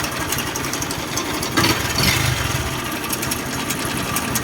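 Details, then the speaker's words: Honda MSX idling, oil level checked and freshly changed: loose uneven clacking rattle from slack cam chain and worn chain guide/tensioner rubbers; replacement advised, as the chain can eventually wear through the cylinder wall. "แก๊กก๊อกแก๊กแบบนี้นะครับผมอ่าตัวนี้ก็จะเป็นเสียงโซ่เราลิ้นนะครับแล้วก็พวกลูกยางกลิ้งกลิ้งโซ่ตัวล่างลูกยางกดโซ่นะครับได้ลูกยางกลิ้งโซ่ตัวกลางนะครับผมที่มันสึกหลอนนะครับผม"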